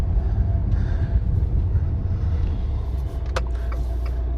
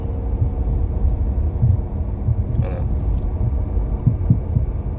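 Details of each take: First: 2018 Fiat Toro road test after suspension repair for a reported suspension noise: only even road rumble over bumps with no clunks or knocks; suspension now quiet. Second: Fiat Toro 2018 on the road: dull low thumps rise irregularly over road rumble, passenger side, from a torn engine mount letting metal hit metal; shocks, bump stops and mounts had already been replaced.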